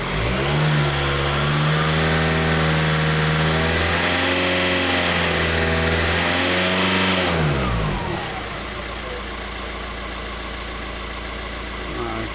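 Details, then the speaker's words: 2007 VW Touran diesel, 117,000–118,000 miles, exhaust blowing past front gasket: revs up smoothly then falls to idle, muffled, choked exhaust note; back pressure 300 mbar at 2,500–3,000 rpm, too high; blocked DPF suspected. "now to me it sounds like it is blocked um and on the manometer with the 100 million 300 millibar pressure at two and a half three thousand rpm that is that's too high"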